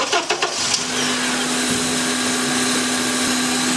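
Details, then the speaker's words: Brake booster vacuum hose pulled off at the booster end, engine idling: a steady hiss of air being drawn in, and blocking the hose end with a thumb changes the engine speed. Good vacuum supply to the booster. "Now, as you can clearly hear, this has vacuum. Now if I put my thumb over the end, you can hear the engine speed changes."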